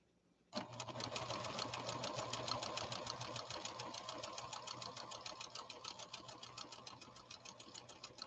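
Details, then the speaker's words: Late-1980s–1990s Pfaff Creative 1471 sewing machine after repair, stitching with quick even ticking about three and a half stitches per second over a soft motor hum, no clatter or binding; normal running. "s one a go and i won't turn on any music we'll just listen to this model 1471 run it's running so beautifully"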